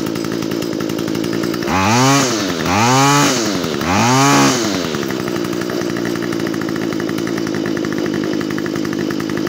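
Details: Stihl FS45 two-stroke trimmer that wouldn't start, now fixed after removing a part with a 5/8 socket and torch-cleaning: even idle buzz, revs cleanly up and back three times, settles smoothly; runs healthy.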